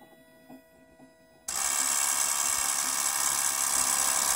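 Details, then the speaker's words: 2008 Toyota Prius in park, brake pedal released, climate control off: quiet ticking, then at 1.5 seconds a high steady electric whir as the brake accumulator pump cuts in, cycling on and off. "I'm gonna give up holding the brake pedal down now it's in park and the accumulator is running on and off"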